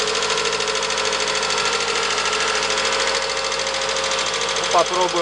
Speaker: Проблема: стучат клапана. Запуск на холодную.